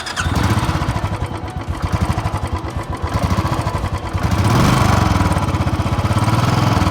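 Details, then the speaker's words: Royal Enfield Signals 350 single after about a year of use, idling: light tick on each beat, roughly four a second, keeping pace with the engine; owner says tappets, started after 8 months, service center said not tappets, possibly low oil circulation. "Can you guys hear the ticking noise? That is from the tappets."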